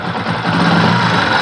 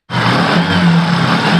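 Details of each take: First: Motorcycle revved: a light, fast "jir jir" ticking chatter from the engine head rides over the exhaust note; tappet clearances need adjusting after setting cam timing. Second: Single-cylinder motorcycle after tappet adjustment (exhaust valve set with 0.10 mm feeler gauge), loose intake and exhaust valves were causing head noise: steady idle with even low thump, no ticking from head; noise removed.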